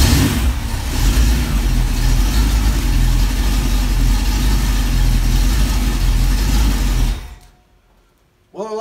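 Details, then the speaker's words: V8 on run stand with newly fitted Flowmaster 60 series mufflers, testing sound: deep, even rumble about seven seconds, no misses or knocks, then shut off; not loud, quieter than earlier black mufflers of similar size; healthy exhaust note. "like that sound I like the other sound the sound of the bigger ones a little better but that's okay that I'll I'll accept that one it's not loud"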